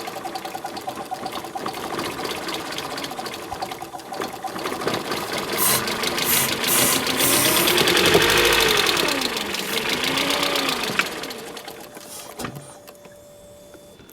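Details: 1994 Mercedes W202 C220 being prepared for drag racing revs up and down with a quick, fairly regular tapping about four per second, just after refitting spark plugs; oil found in plug wells; source not pinned down.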